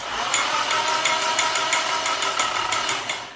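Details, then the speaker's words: SR20 engine swapped into a Datsun 200B, first start: sharp metallic ticking about three per second over a thin engine note, quieting as oil pressure builds. Valvetrain rattle on first start; owner suspects lifters bled down. "worry about that noise, that's a lack of oil pressure. You could hear it quieting up there. It was very noisy. I think that was lifters might have bled down, so that was rattly as."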